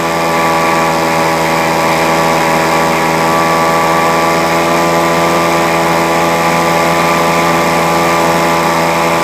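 An even, high-pitched two-stroke drone holds constant revs for the whole stretch with no stumbling; the blower is running smoothly.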